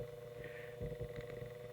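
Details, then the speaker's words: GE brass blade fan AOU 75423, freshly cleaned and greased gearbox run open, voltage raised from 50 V but kept below full speed: a low steady hum with faint even gear whir, no grinding or clicks; smooth and well greased. "so I'm gonna crank the voltage up and you see how that just pulls that grease right into the drive when you have old dried-up grease in there it won't do that"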